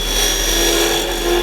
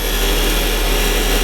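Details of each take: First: Woodturning lathe cutting a tenon on super-dense end grain; pushing the tool in too far, taking almost a quarter inch of the edge, gives a harsh buzzing, ringing chatter, which stops when backing off to light cuts. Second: Wood lathe cutting end grain on very dense wood. After chatter from taking too much blade, the tool is backed off to barely-pressing light cuts: a steady, even hiss with no stuttering or rattle, a clean chatter-free cut.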